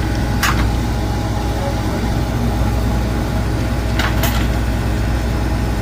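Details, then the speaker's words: Cornelius ice maker, newly installed, on initial startup: steady low hum broken by sharp clattering bursts as ice sheets drop. This is a normal harvest cycle. "You can hear it dropping. I just want to make sure it's dropping correctly. Okay. So, now you can see it's starting to drop."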